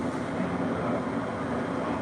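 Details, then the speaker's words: Nortek 80 Low NOx sealed-combustion gas furnace in a basement, which had stopped igniting, running after repair: a steady, even rushing hum with no roar, rattle or surging, far quieter than its usual jet-like noise. "It's working. It ain't never been that quiet for a while. It usually sounds like a jet's about to take off out of the basement."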